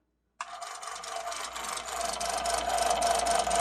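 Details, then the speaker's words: Mr. Christmas Gold Label World's Fair Carousel, 15 V DC 400 mA, date code L29: a harsh, steady, buzzy rattle at about three or four beats per second while the music doesn't play and some lights are out; the drive mechanism rattles. "So not all the lights are working and it sounds horrible. And the music doesn't work."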